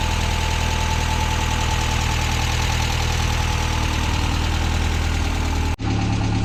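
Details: Ford Sierra RS Cosworth, stolen and hidden in bushes for over 14 years, at first start holds a steady, loud, fast drone well above normal idle with no dip; engine over-revving, high idle.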